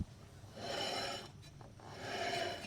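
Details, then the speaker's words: BMW 325 E30 drift car after fitting wheel adapters and JDM wheels: dry rasping rub swells and fades once per revolution; not the wheel touching, axle suspected, perhaps nut overtightened or not greased, unconfirmed. "I don't know what that is. It's not the wheel grinding on anything. I don't know if it's the axle or something maybe."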